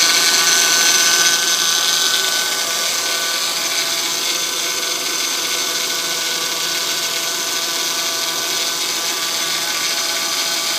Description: 2005 Honda accord v6 with 130,000 miles good maintenance timing belt replaced only make these noise when start up in cold morning, noise goes away after normal engine temp.